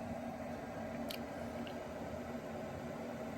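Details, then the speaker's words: Fuel-fired cabin heater, about 4 kW, in a shuttle bus conversion. After lighting, an even, steady rushing burn with a constant low hum and no stutter or popping. It is running normally. "yeah sounds like it's firing up just fine there's one tick off the"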